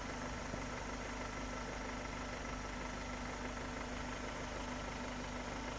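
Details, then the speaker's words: Car engine after replacing the insulator, previously hard-starting, misfiring, stalling and lacking power despite new plug wires and a crack-free coil: steady, even, smooth idle with no misses; now runs perfectly. "now i will replace the insulator and check what happens friends after i replaced the enchilada the car began to work perfectly"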